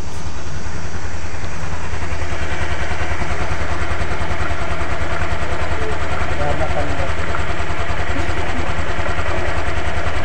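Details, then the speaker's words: 2022 Honda Beat Deluxe scooter, after a full engine rebuild replacing the crankshaft bearing that caused a rough noise: steady, even idle with a smooth low beat and no knocking, rattle or grinding; now smooth, unlike the rough sound before. "Nah ini untuk motornya sudah halus sekali ya guys ya suaranya berbeda dengan sebelumnya ya kasar sekali"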